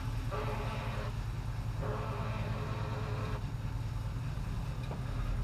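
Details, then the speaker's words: LS-swapped Chevy Nova V8: a steady rumble with two roughly one-second bursts of a rough, tonal mid-pitched noise. Each time the noise occurs, fuel pressure behaves oddly, and the cause is undetermined. "well every time it makes that noise my fuel pressure and it does something weird"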